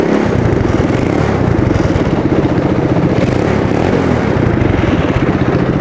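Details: Homebuilt track sled, test run after exhaust fitted and start wiring corrected: small engine runs a steady, even low chug holding pace while shifted through reverse and low gear; normal running.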